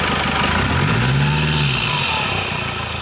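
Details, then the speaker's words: Engine revved briefly with all drive belts removed and air filter off: deep boomy intake drone rising and falling, no whistle, so whistle not from belts, alternator clutch or rollers. "Бубнит, конечно, сильно, но бубнит это из-за того, что снят фильтр. Вот. Но свиста нет."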